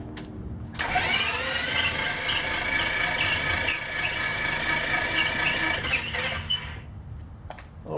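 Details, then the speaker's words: Titan IO-340 180 hp in RANS S21 homebuilt, first start prep: ignition breakers out, fuel off, plug wires off, bottom plugs removed; starter spins engine evenly about five seconds without firing, listening for a pitch change once oil pressure comes up; normal dry cranking. "Should hear a change in the pitch of of it spinning when you get pressure."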